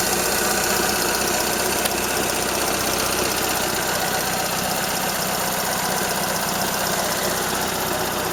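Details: Toyota Corolla Ceros, 4A-FE engine, C50 manual gearbox, idling: fast, somewhat uneven light ticking two or three per second; owner unsure if valve or gearbox shafts; slight exhaust corrugated-pipe leak also present.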